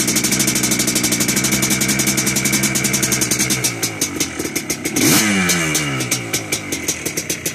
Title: 2001 yamaha blaster first start after engine build